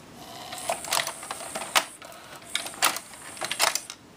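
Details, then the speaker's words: Pioneer PD-M702 six-disc changer working after repair (the laser rail had been missing its focusing lens): short bursts of light clicks and whirring as the whole carriage shifts to another disc, smooth with no grinding. "I kind of like this about the dis changer the whole thing moves if you go to like another disc the whole Carriage moves watch"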